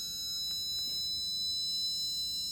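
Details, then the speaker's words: Air Venturi Avenger .22 PCP air rifle being filled to 300 bar: a thin, steady high-pitched whistle with a faint hiss as air rushes past the front check valve; normal for this rifle. "That whistling you hear is normal. It's the air moving past the check valve up here in the front."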